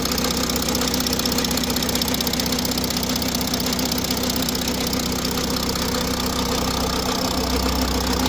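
A steady diesel idle carries a constant rattly clatter with a loose knock running through it, an odd noise whose cause isn't clear.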